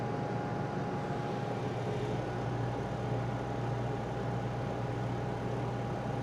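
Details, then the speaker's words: Honda EU2000i generator after carburetor cleaning (previously ran only with choke on, voltage went crazy under load), running an Airstream air conditioner via Micro Easy Start: steady even drone, constant hum, no surging or hunting; running perfectly under load. "So yeah, it's running perfectly. The Easy Start got it."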